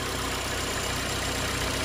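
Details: Ford EcoSport at idle with AC on: even rush of air from the radiator cooling fan, with no buzz or scraping. The fan cycles normally, about 10 seconds on and 10 seconds off.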